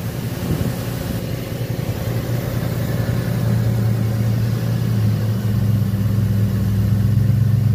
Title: Dodge Dakota 2007y high & rough idle rpm (다코타 2007년식 공회전 높음)